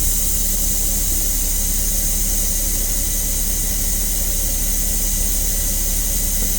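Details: Engine-driven onboard air compressor on a diesel motorhome filling the tank after air dryer and air governor replacement and governor adjustment, building toward about 120–125 psi cut-out. Steady, even hiss over a constant low drone, no knocks or rattles. Normal air compressor charging.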